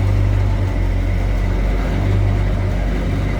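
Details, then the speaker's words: 1956 Chevrolet 3100 stepside short-box pickup street rod at idle, heard at the tailpipes: nice deep throaty exhaust rumble, steady and even with no miss; good sounding truck. "Nice, deep, throaty exhaust, good sounding truck."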